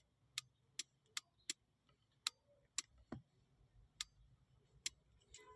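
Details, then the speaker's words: Vanagon radiator fan relay, which would not switch the fan off, bench tested with negative on 85 and positive on 86: crisp clicks in quick succession, then spaced out, showing the relay switches properly. "So, we put negative on 85 and then the positive on 86. And you can hear it click."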